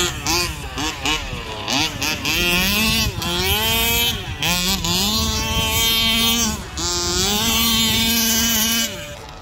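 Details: Rovan Baja 5B RC car, stock Rovan 29cc two-stroke with Rovan Dragonfly pipe, after won't-start troubleshooting and break-in heat cycles: crisp buzzy revving up and down repeatedly, pitch tracking throttle cleanly, no misfire or rattle; normal running.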